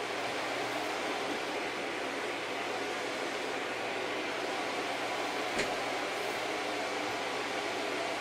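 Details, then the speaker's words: Packard Bell iMedia S3720 tower with no display: a small fan of about 80 mm or smaller gives a loud, steady rush of air with a faint low hum and no change in speed. The board holds the fan at full speed with no display. "So, something's not happy inside. It sound It's very loud. And I'm surprised at how much air that little fan is shifting."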